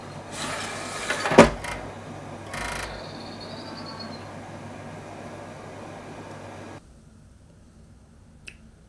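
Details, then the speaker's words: Xbox 360 Slim Hitachi-LG DL10N DVD drive, camera on top of console, tray closed with disc: a few dry clicks and a short whir as it tries to read, then silence and open-tray error; dead optical pickup laser, to be replaced. "If I shut the tray, I don't know whether you'll hear it. Yep, I can hear it. This thing's clicking. Yeah, it's clicking like a good one."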